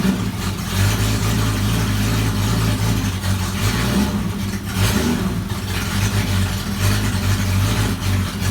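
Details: Jeep XJ engine idling and revving after fitting a new pulley and new belt: steady, even note with no squeal or chirp; squeaky noise gone, belt drive healthy.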